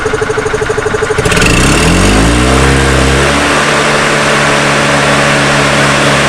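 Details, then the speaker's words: Old EZGO golf cart engine after a carburetor rebuild; before the repair it ran only on full choke. Now it catches and settles into a smooth, even idle without choke, a steady tone with no misses. Normal running after repair. "Alright, absolutely beautiful. We can call the customer and tell them to come pick it up, get paid. Everything sounds good, looks good."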